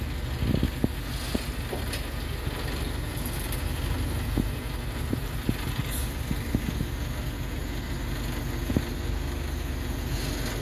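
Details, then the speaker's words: Hydra crane after repairing the sticking control-lever valve spool, test-lifting a 6-ton box: steady low diesel drone with scattered clicks and light knocks as it swings; hydraulics move smoothly with no hesitation, lever no longer sticking. "अब चलिए operator कितना चलते हैं और देखते हैं सही हुआ कम कर मतलब सही से कम करना स्टार्ट कर दिया"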